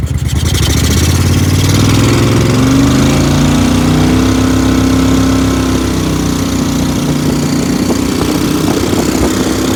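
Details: Briggs & Stratton Vanguard V-twin dual-carb mud boat motor (Mud Buddy), freshly rebuilt after flat cam, half turn more fuel on cylinder two, AFR high twelves: picks up from idle, pitch rises to steady pull without stumbling; running much better, still rich.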